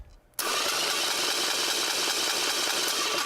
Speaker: hear that high-pitched whine well that high-pitched whine means that the starter is actually too far away from the flywheel